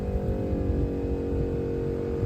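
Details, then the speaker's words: ARB onboard air compressor installed on a truck, airing up a tire; an even, steady motor drone with a constant low hum and no knocking or stalling, operating normally. "Now, but you guys can hear the compressor, and I can hear air going in the tire."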